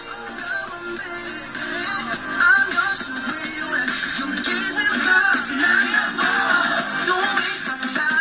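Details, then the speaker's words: Samsung 40-inch LED TV, after a DIY speaker replacement for distorted sound: music plays full and clean at high volume with no rattle or buzz, louder than the original; the repair fixed it. "mga Sir okay na ito"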